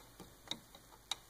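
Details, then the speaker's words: Shapeoko 3 CNC Z-axis: sharp, light irregular clicks as the carriage shifts, from play in the lower two V-wheel bearings, blamed for about ninety percent of the Z-axis flex even after tightening the V-wheels and stiffening the plate. "on the examination these bearings seem to be the cause of about ninety percent of the movement and again it's quite apparent I can hear it I can feel it"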